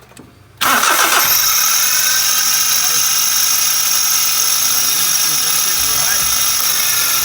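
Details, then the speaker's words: Suzuki Every Turbo whose starter got water underneath: high steady squeal begins the instant the engine cranks and keeps singing at idle, from the starter bearing. "eu vou mostrar para vocês o barulho desse rolamento aqui ó vou mostrar aqui ó isso aqui ó da partida é Marcão"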